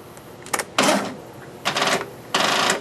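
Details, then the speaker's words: Mastercraft racer engine, booster battery unhooked to test its own battery: three short clattering starter bursts, each dying without the engine catching; the battery is bad, too weak to crank, so it needs the booster. "No. Didn't think it would. The battery is screwed. So, so I'm just using the booster."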